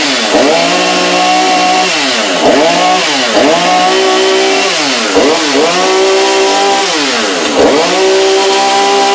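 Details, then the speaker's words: New Husqvarna chainsaw on its first start after a few pulls: the two-stroke revs up crisply several times and drops back cleanly each time, with no misfire or bogging; runs normally. "pull sounds a little better this should just sit idle sounds like it might do the job"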